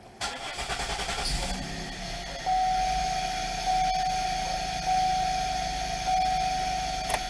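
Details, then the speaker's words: 2000 Pontiac Bonneville: engine runs unevenly, a thin whistle over a low idle that sags and surges, dying when off the fuel; intermittent stalling traced to a faulty ignition switch, not the previously replaced crank sensor. "now if I let it die it dies this if I let off the fuel if I don't turn the key all the way back it should start and run okay"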